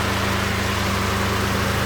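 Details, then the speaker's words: 2008 Acura TSX CL9 (K24) idling after repair and first start, new power steering rack not yet bled, coolant being filled, fan cycling: smooth even hum, no knocks or ticks; idles cleanly. "The car is sounding good. At first it was sounding a little weird because it was running dry,"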